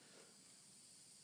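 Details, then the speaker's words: Porter Cable C2002 air compressor after regulator repair with a kit, fully pressurized: faint, steady hiss without pulsing from a loose hose connection, not from the compressor itself. "fear not the hissing is from my from my crappy connection over here it's not the compressor just to prove that it's not"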